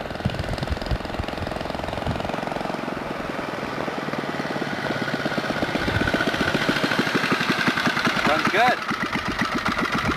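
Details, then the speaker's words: Baja Dirt Bug with swapped-in old worn 2 hp Briggs & Stratton side-valve engine: slow, steady single-cylinder putt-putt settling at low idle; smoother than the original Chinese engine, running healthy. "pretty good. Low idle. Yeah, there you have it. That's a Baja dirt bug, doodle bug sort of thing with a 2 horsepower Briggs and Stratton side valve motor in it."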